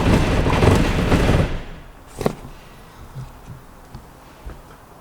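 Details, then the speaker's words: Mk1 Austin Mini with an Arden 8-port head, cold start on a hot day while refining the cold-start fuel map: it roars for about 1.5 seconds, then cuts out. It stalls without throttle. "so that went where you didn't want to run just on the throttle anyway so I'll do some tweaks and we'll try again"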